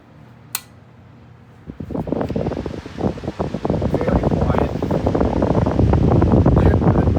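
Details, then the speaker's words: 1936 GE 8-inch single-speed oscillating desk fan, model 42X548: soft whoosh builds as blades spin up with no clunk, hum or rattle; normal startup. "it's like no Compared to that, it has no startup sound at all. Very nice."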